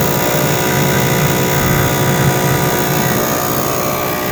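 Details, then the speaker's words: 1998 Jeep Cherokee running, heater blower on: loud steady roar with rough fluttering beat from the cracked squirrel cage slapping, any setting. Blower motor squirrel cage slapping; fix is blower motor replacement. "So what it is the squirrel cage on the blower motor. It's down deep in here underneath all this stuff, and basically you'll see here in a second, but the squirrel cage is cracked."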